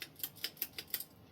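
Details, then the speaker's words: Litex New Orleans 52" ceiling fan on low speed with bad bearings: sharp dry ticks about six a second as it turns slowly, then fading. "But with the bad bearings, it gives this fan a very aesthetic low speed."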